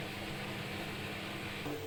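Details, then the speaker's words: Newly installed front-load washing machine, previously vibrating and noisy from poor levelling and unremoved transport bolts, after balancing the feet: spin-only cycle with a steady, even drum hum, a smooth pitch step near the end, no thumping or rattling; spin runs balanced. "oh the machine is stable no vibration because it's a well balanced stable"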